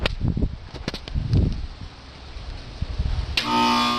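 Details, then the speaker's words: Carrier air conditioner outdoor unit, suddenly won't start: after handling clunks, a steady low electrical hum holds while the fan doesn't spin; compressor hums but fails to start, fixed by replacing the failed run/start capacitor. "This is my carrier air conditioner. All of a sudden it doesn't seem to start. I hear a noise."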